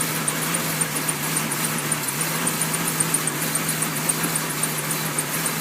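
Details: 1999 Jeep Cherokee XJ at cold startup idle: uneven, missing beat with fluctuating rpm and a squeaky fan belt. The scan gauge TPS reading jumps between 0 and 17 at idle; cause not found.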